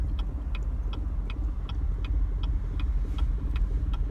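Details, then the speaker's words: 2016 Chevrolet Camaro, while driving, no check engine light: lumpy shaky idle with a light tick about three per second, jerking, RPM needle dancing; rough running, cause not pinned down. "cars running really rough it's shaking vibrating a lot I"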